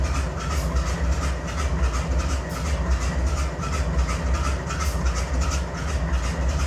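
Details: BNSF 5144 C44-9W diesel locomotive idling to keep air up: lumpy uneven low throb with a stumble about once a second, a misfire, with excessive smoke.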